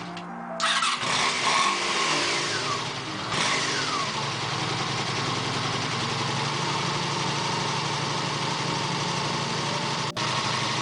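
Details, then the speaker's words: 1987 Honda VF700C Super Magna V4, after carb cleaning and 110 main jets in all four carbs, breather hose removed: starter cranks, catches and settles into a steady, even run with no misses, knocks or rattles. "I don't know until I get my better gauges. I still could test it. It sounds pretty good."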